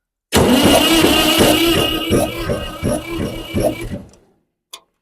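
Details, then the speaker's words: 1962 Massey-Ferguson 35 Super Deluxe with 3-cylinder Perkins diesel, just freed from being seized, cranks steadily on the starter at about four compression beats a second for four seconds without firing; fuel lines not yet fixed. "I hit the starter and it's turning over now oh I'm so thankful"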